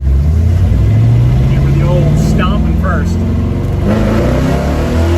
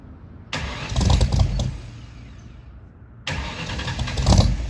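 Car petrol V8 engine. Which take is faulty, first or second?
second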